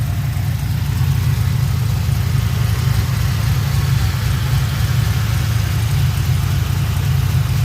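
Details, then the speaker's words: 2007 Pontiac GXP LS4 V8 after rear head bolt thread repair, restarted: deep, steady, even idle rumble with no knocks, ticks or hunting; running normally. "All right, it's round 2. She started. Sounds good."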